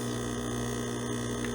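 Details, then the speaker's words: De'Longhi espresso machine pump, brewing very finely ground illy Classico espresso, lightly tamped: steady low buzzing hum, no pitch change, flow stalling before half a shot; pump labouring against too-fine grind. "And now it's struggling. That's the pump just dying. Look at that. And we're not even at half of an espresso."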